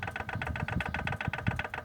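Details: Peugeot 206 1.0 16-valve at idle: hard metallic tec-tec knock repeating about six times a second, sounding like it comes from the valves up top but actually loose connecting rods from worn rod bearings; this engine has no tappets, rod knock.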